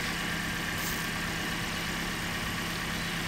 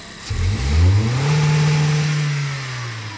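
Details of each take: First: Car engine at idle with the ignition coil deliberately disconnected during a vacuum test, about 15 inches of vacuum before; rough, uneven low beat from a dead cylinder, a simulated misfire. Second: Car in neutral on engine vacuum gauge test, about 15 inHg at idle: one quick blip, revs rise sharply, hold briefly, then fall smoothly to idle with no stumble; healthy throttle response.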